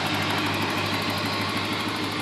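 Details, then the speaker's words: 1987 Porsche 928 S4 V8, fully cleaned and serviced, idling: fast, even light clacky ticking over a smooth steady idle; ordinary injector noise, not mechanical valvetrain tick; engine purrs along fine. "just like any cars, even on these old BMWs, they they have a little bit of a clacky sound, but it isn't a mechanical uh tick, so it isn't upper valve tray noise. It um it is truly just the injectors, but other than that, it uh purr along just good, perfectly fine."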